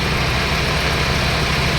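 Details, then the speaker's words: Mitsubishi 4G63 after idle repair: a steady, even idle with a smooth rumble and constant fan rush as the AC cycles; both fans run with the AC on, with the compressor cutting out in between, and the engine not yet hot. "เปิดแอร์รอบนิ่งมากเวลาเปิดแอร์พัดลมจะทำงาน2ตัวอันนี้คอมแอร์ตัดไปแล้วนะครับ"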